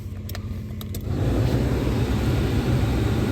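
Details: 2004 Ford Explorer, 155,202 miles, after a Ford/Motorcraft reman alternator replaced one that overcharged: a steady, even idle that gets slightly heavier with headlights on; no whine or stumble, 14.5 V, no DTCs; charging is healthy.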